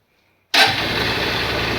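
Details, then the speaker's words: Honda SP Shine 125 BS4 single, after engine sound-problem repair using original parts. Self-starter catches instantly and settles into a steady, even idle with no knocks or misses; normal start and idle. "गाड़ी का sound आप सुन पा रहे होंगे तो sign का जो sound होता है दोस्तों परफेक्ट तरह से वो साउंड है इस गाड़ी के अंदर"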